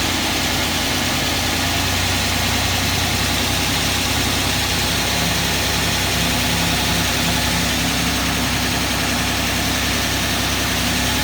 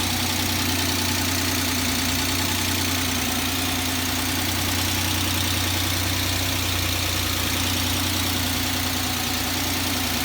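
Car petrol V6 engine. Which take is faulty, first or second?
first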